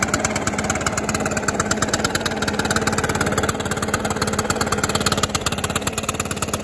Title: Stihl BR600 idle and rev after cable and carburetor adjustment. Runs and idles much better/smoother